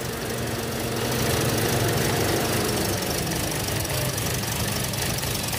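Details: 2017 Toyota Vios automatic at idle: uneven, lumpy running with a loose knocking beat of about four per second under a rushy wash; misfire mentioned as possible; rough, unstable idle.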